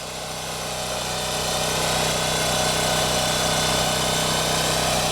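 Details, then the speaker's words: Champion generator, about 3000 hours, original spark plug, after no-start fixed by checking fuel lines: steady, even drone under load, pitch level, no surging; owner suspects fuel distribution issue or bad fuel. "i don't really hear any surging or anything i think it's running okay now"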